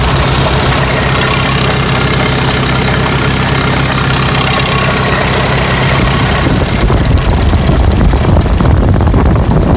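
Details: 1985 Toyota pickup, 22R 2.4L four-cylinder carbureted, 2WD, first start after mechanical fuel pump replacement, air filter and cover off; steady even idle with firm low rumble, no stumbling or tapping, no leaks; normal idle.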